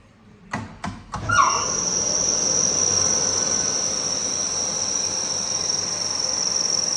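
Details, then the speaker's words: 2009 Kaeser SX 6 Aircenter screw compressor, 270-litre receiver, integrated dryer, 5,863 working hours, starting from 2.3 bar in the receiver: a few clicks, then a steady even hum with constant high whine as it builds pressure; normal running. "It's currently 2.3 bars in a receiver, so let's start it up and see how it builds pressure."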